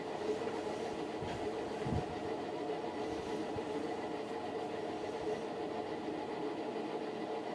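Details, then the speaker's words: Fasco World's Fair ceiling fan near top speed on its Vari-Low control: steady motor hum with an uneven, chugging, train-like rumble underneath. The bearings are stiff and worn. "the sound of the bearings on this one almost sounds like a train chugging along the tracks"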